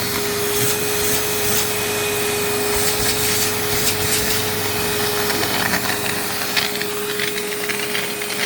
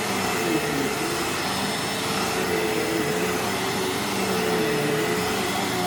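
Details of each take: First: Rebuilt 2001 vacuum with a full bag: steady motor roar, then a rough scrubbing flutter as the brush roll belt breaks. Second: Used vacuum with bent plug prong: steady, even motor roar with smooth airflow rush, no surging, rattles or scraping; running healthy and picking up fine dust well.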